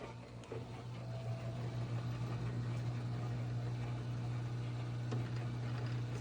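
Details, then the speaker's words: GE Hydrowave washer after washer motor replacement (not-spinning fault): quick drain and spin gives quiet, steady low hum as drum spins up and holds speed, no grinding, clunks or rubbing; normal spin. "Now I'm going to put it in for a quick drain and spin so you can see the machine is working beautifully."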